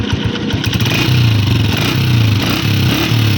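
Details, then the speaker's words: Honda 125 single-cylinder motorcycle at idle: sharp puffing pop, phat-phat, on every exhaust beat near the head. "तो फिर इसका क्या मसला होगा जो कि इसका साउंड आगे फट फट की आवाज़ दे रहा है।"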